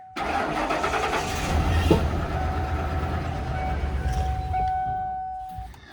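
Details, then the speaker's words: 1997 Ford F-250 with 460 gasoline V8, bought cheap and revived: the fuel pump is heard pumping and the engine cranks, catches, runs rough a few seconds, then winds down and stalls; fuel or ignition cause unknown. "I ran for a second. Hm."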